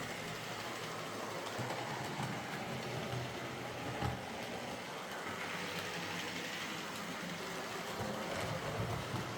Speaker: Old models like these will never run perfectly, but they're all runners now, which is what Phil asked me to do, so I'll get them packed up and sent back to him.